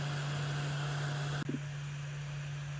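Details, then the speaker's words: Atomstack A5 Pro laser engraver/cutter's small air assist fan running: steady low buzz holding one even pitch, with one brief click midway; fan operating normally. "what this little fan here is doing is actually providing an air assist to the laser if you can hear that buzzing right now in the background that's the sound of the fan"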